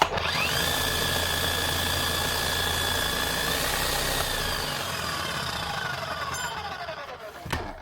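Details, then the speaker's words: Makita SDS Plus hammer drill with a bad armature, serviced a year ago, run before repair: steady motor whine at even pitch winding down smoothly when released, sounds not too bad; hammering was fine. "Now, see what she sounds like at least. It doesn't sound too bad."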